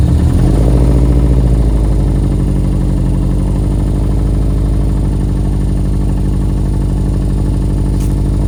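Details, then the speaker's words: 2005 Subaru STI, very first start on replacement engine after blown motor, check engine light on: deep loud slightly uneven idle pulsing at steady beat; rough idle. "just like that she is running idling a little bit bad right now I got a check engine light"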